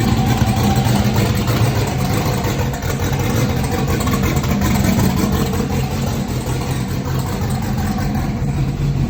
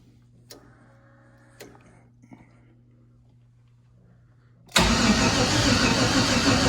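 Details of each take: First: Junkyard turbo LS (L33) V8 on methanol, after swapping back flipped coil/plug wires that caused miss and sputter: deep, fairly steady idle with slight uneven lope, no obvious miss; running properly now. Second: Junkyard LS (L33) with turbo, on five-month-old methanol, first fire attempt: after a few clicks the starter grinds over slowly and laboriously without catching; battery too weak to spin it properly.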